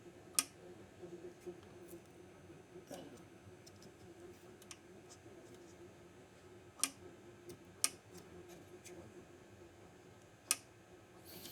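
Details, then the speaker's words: Kubota V2203 diesel fuel shutoff solenoid bench-tested with 12 volts, cap off: a few sharp, isolated clicks as it pulls in properly; it can control run and stop. "the good news is we'll be able to control the run and start, or run and stop from the solenoid."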